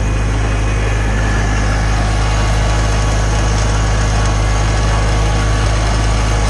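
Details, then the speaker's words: Farmall tractor idling after running Seafoam through it, previously spitting and sputtering: steady, even low rumble with no stumbles or misses; running true, better than last time it ran. "it's running true man you know it again it's not the end-all be-all and I'm not telling you that this will fix your tractor"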